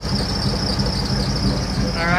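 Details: 2003–2004 Ford SVT Cobra supercharged, at idle: constant high-pitched squeal over steady idle rumble from the belt drive; worn Billetflow idler pulley bearing, replaced.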